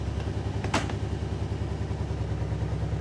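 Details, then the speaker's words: 2008 Kawasaki Brute Force 750i V-twin ATV at idle after belt deflection adjustment with shims: steady even low thump, no belt clutch squeal. "fire it up sounds good no squealing out of the uh clutch"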